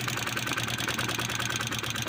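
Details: Italika FT 150 single-cylinder motorcycle after repairing oil pump lubrication failure (loose centrifugal filter nut damaged the cover, cover replaced), oil now rising: quick light valvetrain ticking over a steady idle, no rattle or knock. Normal idle.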